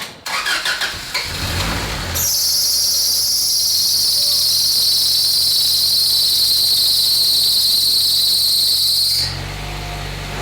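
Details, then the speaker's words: Honda H22A4 engine start after rebuild: engine catches, then a loud steady belt shriek over idle for about seven seconds stops abruptly; owner suspects an over-tight belt or power steering fluid on it, engine otherwise solid, no misfire. "think one of the belts is too tight. Maybe it just had some power steering fluid or something on it. That's why I was making all that noise."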